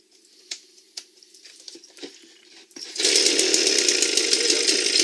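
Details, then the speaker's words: Echo leaf blower, small two-stroke, that previously wouldn't start, running after its clogged spark arrestor and a blocked carburetor channel were cleaned: handling clicks, then it fires and holds a steady high buzz, running properly. "So it worked with cleaning out the spark arrestor and finding that little problem in the carburetor."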